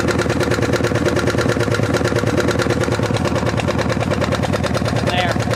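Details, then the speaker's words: 1975 Harley-Davidson FLH Shovelhead, long unused: steady tapping about three per second over the lumpy V-twin idle from the rear rocker box; rear cylinder intake lifter not staying pumped up, letting pushrod slack in; lifters then readjusted. "What I discovered was that the intake lifter on the back cylinder wasn't staying pumped up and so it was letting a ton of slack get in the push rod."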